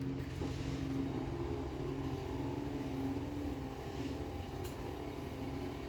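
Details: Chamberlain HD800D Whisper Drive Plus DC garage door opener running off a separate power supply, door travelling down: soft, even motor hum, low steady drone, no rattles or strain; quiet, normal operation.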